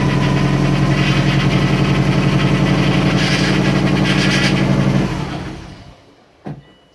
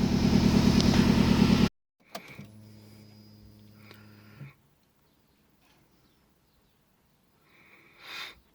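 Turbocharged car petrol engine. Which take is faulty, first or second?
first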